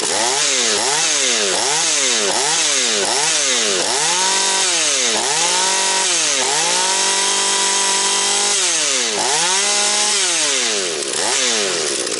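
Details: Husqvarna 240 chainsaw after rebuild and carburetor tuning, still breaking in, idle to be raised: screams high, dips as it bites into wood and recovers cleanly between cuts; strong, crisp running with good throttle response, smoking slightly afterwards.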